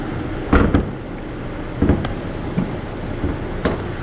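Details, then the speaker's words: Genesis G80 used car, engine bay open, engine running at idle: soft, even hum with a few handling clicks, no knocks or ticks; judged a normal, healthy engine noise. "vci 엔진 소음을 들어보시면 이게 정상적인 엔진 소음이에요 특별하게 뭐 다른 소음이 난다 라든지 그럴 경우에는 문제가 생기지만이 차량 지금 보시는 대로 정상적인 엔진 소음이라고 보시면 좋을 것 같고요"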